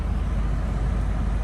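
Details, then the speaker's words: 2006–2011 Honda Civic Si FA5 after new wheel bearings, hubs, brakes and rotors, driving past 20 mph: an even, smooth road rumble with no hum or growl; the car rides smoother; the bearings sound healthy. "other than that car feels a lot better and smoother"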